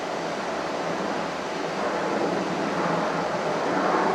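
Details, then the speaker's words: VoltLogic SmartStorage 3 kW 24 V inverter demo: a 2000 W fan heater blowing hot air at full fan keeps running with a steady, even rush through the grid-off changeover clunk to battery, no dropout or speed change; seamless, normal uninterrupted running. "I'm now going to turn the grid out when you hear that clunk that's the changeover as you can say this seamless interruption to the extra load"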